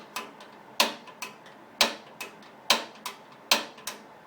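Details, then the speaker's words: Manual-light propane RV furnace on a bench test, lit at the pilot after the thermostat started the fan: sharp, dry clicks about once a second with faint ticks between, in a quiet room; the igniter is sparking normally until the pilot ignites. "Hold in, then slowly let out, and turn to the left. And there it has ignited."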